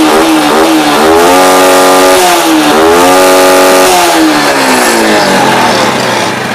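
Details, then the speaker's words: Yamaha Jupiter Z with a mid-to-high rpm stumble (brebet), tested with a known-good regulator/rectifier (kiprok) and the battery disconnected: the engine keeps running and revs up and drops back cleanly, with no misfire. The fault was the original kiprok. "Motor masih nyala karena ini kiproknya masih bagus. Oke, langsung gas ya."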